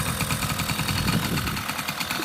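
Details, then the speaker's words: 1980 Honda Express scooter, revived after not running: quick, even two-stroke putter at a steady idle with a light rattle on top; starts right up and idles smoothly. "it runs it starts right up the lights work can we start it yeah i'll let you uh start it"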